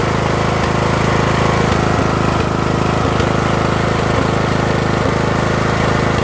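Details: Briggs 18.5 engine runs rough and smokes; loud putter with an uneven beat and a regular stumble roughly every second: rough running engine.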